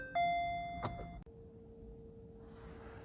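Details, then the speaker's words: VW e-Up electric car started with a conventional key, turned and held with the foot on the brake: a short bright two-tone bing-bong chime rings over a quiet cabin, signalling the car is on, in Park; a normal ignition-on chime. "When you hear the bonk, bing bong, release the key. And now the vehicle is on."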